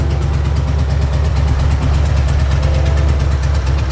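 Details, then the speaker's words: Previously knocking Ford 4.6 two-valve V8 after repair with used junkyard crank and bearings and reused bolts, no radiator, open long-tube headers: loud deep even idle, no knocking or ticking; normal idle. "all right so to say the least I think we just got an answer despite those long tube headers just making way too much noise the motor is definitely not knocking it's not making a ticking noise it's not doing anything"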